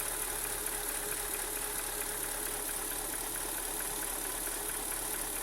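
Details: 2003 Mercedes-Benz S430 at hot idle, about 80 °C: light regular tick a little over twice a second over engine hum; oil pressure seems low when warm, about 15 psi; owner suspects the low pressure, unconfirmed.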